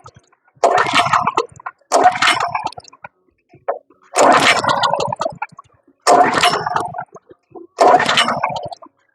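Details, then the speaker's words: Wood chipper recoil starting with fuel on, choke on, throttle half: quick pulls rattle and whirr but never catch or fire; no start because the spark plug was not attached. "Fuel is on, right? Okay. Oh. Something's not working right."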